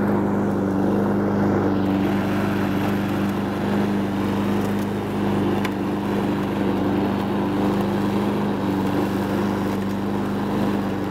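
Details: Honda Harmony 215 mower engine, warm, after a third carb cleaning; the low-end idle mixture screw broke and could not be cleaned. Steady, even note with a firm low drone, no misses or hunting; normal running.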